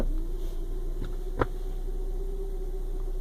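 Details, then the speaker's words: Hyundai Creta automatic gearbox at morning cold start, shifting through park, reverse and neutral: steady mid-pitched hum rising slightly then holding; owner suspects the transmission hydraulic pump with cold oil, gone once warm; dealer technician called it normal. "tô vendo só o pessoal esse barulho eu acredito que seja a bomba hidráulica do câmbio que na hora de jogar óleo essas hora de manhã quando o carro tá parado ele faz esse barulho"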